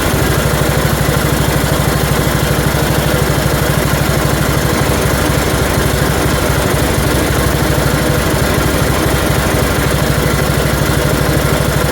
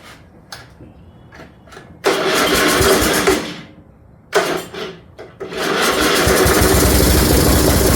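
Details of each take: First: 1974 Dynastar lawn tractor, barn find that sat 30 years, first start after revival with short muffler fitted: single-cylinder at steady fast idle with light rapid "tink tink" ticking; flywheel screen rubbing the shroud, fix is straightening the screen. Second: 1974 Dynastar lawn tractor, sat about 30 years, short muffler and battery hooked up: starter cranks in short bursts, then the small single catches and settles into a steady running drone; starts and runs fine.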